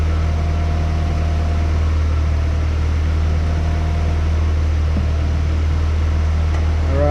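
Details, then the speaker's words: 1994 Honda Accord, 256,000 miles, after throttle body cleaning with idle screw fully in: steady, even drone held at raised pitch, just over 1,000 rpm, no hunting. High idle from backed-out fast idle thermal valve. "So the idle is at, looks like right over the 1,000 mark. So I'm gonna go ahead and try to figure out why it's idling too high."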